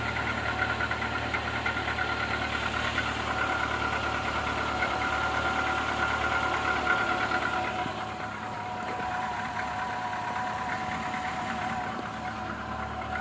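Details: Renault Logan 1.6 K7M engine just started after long standstill: rough idle with steady tapping about three knocks a second over the engine note; knock at idle, source unclear.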